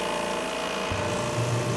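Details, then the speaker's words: Electric hot pressure washer with a diesel burner: over the pump's steady hum, a deep whooshing roar comes in about a second along as the diesel burner lights normally and heat builds. "and you can hear the burner kick on it's burning diesel fuel I can feel the heat already"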